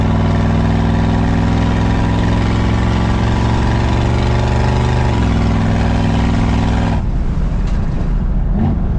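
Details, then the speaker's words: Buick 455 V8 with Stage 1 upgrade and newly broken-in cam, on first drive: deep, steady drone pulling evenly then dropping off cleanly, no knocks or ticks; engine sounds healthy with good pickup. "it's not running bad dude it sounds good yeah sounds real good sounds tough"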